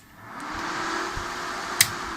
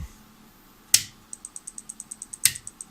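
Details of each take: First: Helper Prestige 160A inverter welder powering on after the shorted rectifier diode D05 was replaced with two paralleled FR207 diodes; soft even fan rustle and one crisp relay click, fans and relay working normally, though the fault later recurred. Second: Helper Prestige 160A inverter welder at switch-on, flashing yellow; two sharp snaps then light ticks slowing from about four to two a second, relay chatter with the fan suspected not running; rectifier diode D05 (HER207) in the fan circuit found shorted.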